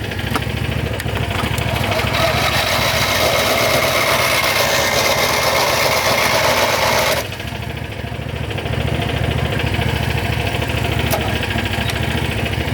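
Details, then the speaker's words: John Deere GT225 lawn tractor, warm engine, cranking on a charge from a Landmaster: steady even cranking about 3.5 beats a second that never catches; starts fine cold but not warm; owner unsure whether cables are the cause, connection confirmed by voltage drop. "This is horrible. Never had a tractor hard start when it was warmed up. I'm telling you, that thing fires right up when it's cold, but just not when it's warmed up."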